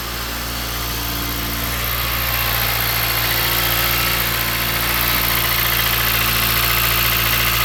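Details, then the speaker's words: 2013 Chrysler 200 after a cold snap, idling with the accessory belt off: steady even idle with low hum and none of the earlier plastic chatter, confirming the noise came from an accessory (alternator clutch pulley suspected versus power steering pump). "Little noise coming from the front, but it's definitely not the sound we were hearing before, so it's definitely an accessory."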